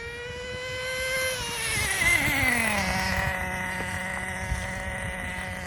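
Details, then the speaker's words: Team Associated Nitro TC3 1/10 nitro RC car: high buzzing engine revs up then its pitch sags with no clean step; no shift heard with its smooth shifter, possibly stuck in second gear. "So I do, because this car has a smooth shifter, you don't really hear it or feel it too well, so. I did not hear it shift at all, so it might be stuck in second gear."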